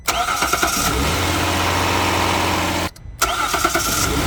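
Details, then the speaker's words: Hyundai Grandeur HG 3.0 GDI cold start after more than 8 hours, with ruthenium spark plugs replacing stock iridium: short crank, then a clean catch into a steady fast idle with no knocks or misses; no difference heard. "어떤가요? 전 시동음에 대해서는 그 차이를 못 느끼겠습니다."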